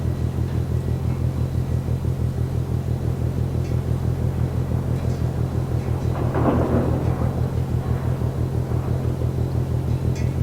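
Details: Ship MAERSK TAIKUNG at Port of Genoa Pra', 1 a.m., recorded from over 1 km away: deep, steady pounding about twice a second like slow drumbeats; heavy rhythmic banging, cause unknown.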